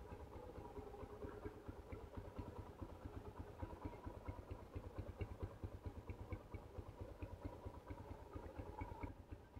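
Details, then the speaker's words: 2008 Yamaha Scorpio 225 motorcycle, sat about five months and ran rough, after right-side engine teardown repair: quiet, even idle with soft regular pulses and no knocking; sounds fairly smooth now. "Nah, suaranya udah lumayan halus nih ya."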